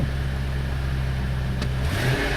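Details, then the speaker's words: 2002 Mercury with about 120,153 miles: steady low engine drone rises smoothly on throttle with no knocking, ticking or misfire; normal engine rev. "Yeah, buddy, sounds good."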